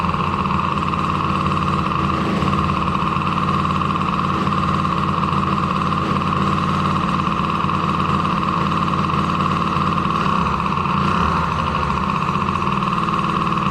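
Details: Drr 90 small engine started after water pump rebuild kit installed (damaged shaft had caused seal leak), coolant topped off, checking for leaks: steady, even idle with constant buzz, no knocks, misses or surging; running normally.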